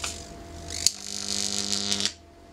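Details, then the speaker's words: 11 kV neon sign transformer driven to about 15 kV testing 3mm Corflute insulation; hum steps up, crack, then harsh hissing buzz over a second as high voltage arcs through nearly 1 cm of air at sharp edges, not through the Corflute. "can see that's uh through the air we've got to break down that almost a centimeter that's very sharp edges there"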